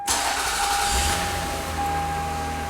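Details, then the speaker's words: 2004 Toyota Avalon, column shifter, low mileage: after power steering leak repair and bleeding, engine starts and settles to a smooth steady idle with no power steering pump whine. "see that dropped a little bit no power steering wine no nothing"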